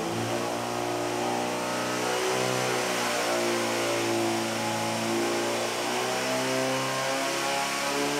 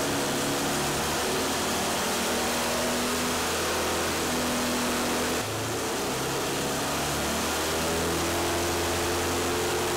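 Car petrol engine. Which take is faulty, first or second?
first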